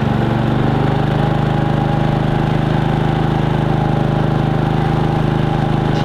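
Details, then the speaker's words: Harbor Freight Predator 3500 inverter generator converted to propane with a Nash tri-fuel kit, not in eco mode, running a roughly 1500–1700 W heater: steady even engine drone holding pitch under load without surging or hunting; healthy. "let's go ahead and put it under a load and see what it looks like or what sounds like so we've got my little heater hooked up now 1700 watts 1500 watts something like that"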